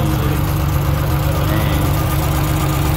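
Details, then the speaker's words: Lexus IS300 inline-six drift car at idle: lumpy, uneven, stumbling beat that never settles, dropping a cylinder. Leakage through the cylinder two intake valves was found. Cylinder misfire at idle. "it's too much to ask for him to always run on six cylinders"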